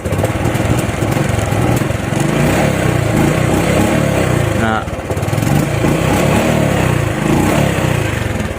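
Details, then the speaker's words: RS 125 FI single-cylinder after replacing a defective spark plug cap (new throttle body, plug, fuel filter already fitted): revs up and settles cleanly, no coughing or stumble; misfire cured. "Pansinin niyo wala onong mauban so confirm ang daot ba simple lang kayo Basic lang pero importante kayo spark flug C lang goods"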